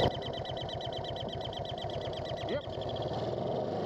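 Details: Barn-find Honda CL350 twin, carburetors cleaned, on 300-mile off-road ride: fast steady putter with sharp high chirp on every firing pulse; intake vacuum leak.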